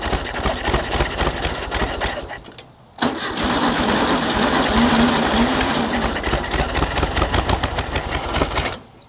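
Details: 1960s air-cooled VW dune buggy after a decade sitting, choke and fuel shut-off solenoid disconnected, fuel fed manually while pumping the throttle butterfly; catches after short crank, runs ragged, won't idle and dies, idle adjustment needed.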